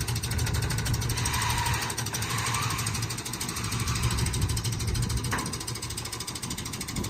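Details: Newly bought Toyota 4Runner, engine covered in antifreeze underneath: lumpy, uneven chuffing about three beats per second with irregular thumps; severe misfire, owner suspects head gaskets or a whole engine, unconfirmed.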